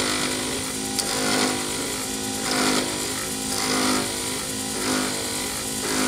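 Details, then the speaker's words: Lathe turning a D-shaped resin-saver-mold circuit board blank for a Sierra pen, after the corners chatter off: even hiss of the tool rubbing on plastic, rising and falling each pass with no chatter; the blank is now round and cutting cleanly. "then as you get down to actually turning a round object you have no more noises it just sounds like you're rubbing on the plastic"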